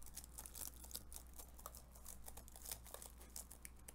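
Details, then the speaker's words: MacBook Air M1 A2337 with liquid spill and no backlight: quiet, uneven key presses with gritty, crunchy crackling clicks instead of crisp taps; sticky keys, likely dried liquid residue. "keyboard i don't think it's supposed to sound like that you guys like the asmr guys like the asmr here there you go very crunchy not too great"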